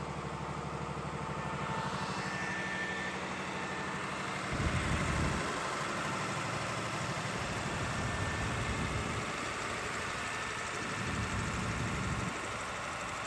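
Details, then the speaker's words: Air-cooled 109.5HP Lister diesel farm backup generator (thought to be about 100kVA), monthly check start, heard from a distance: steady thrum with loud even fan roar, no knocks or misses; normal healthy running. "all right so walked away from it now because it is so loud can't hear myself think"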